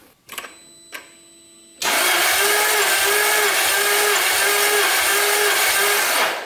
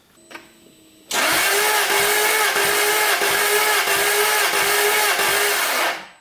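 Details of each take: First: 1999 Jaguar S-Type V8, compression test while cranking with fuel pump fuse pulled and throttle held wide open: cylinder 5, steady starter whirr with even rise-and-fall; low compression, cause unconfirmed. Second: 1999 Jaguar S-Type V8 compression test, cranking with the throttle held wide open: steady starter whir with even, strong compression pulses. This cylinder reads about 135 psi, while others read 25, 35, 75, 80 and zero. Normal cranking compression.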